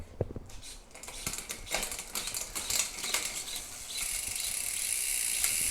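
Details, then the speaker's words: Wheeltop EDS TX wireless electronic 13-speed rear derailleur, 10-42t cassette, Rotor 52/36 chainrings, bike in stand, shifting from 52x10 up the cassette: quick crisp clicks over light freewheel ticking, each shift clean; normal rear derailleur shifting. "Let's shift through the gears in the stand. So right now we have it in the highest gear possible, the 52 tooth up front and the 10 tooth. I'm going to work my way up the cassette."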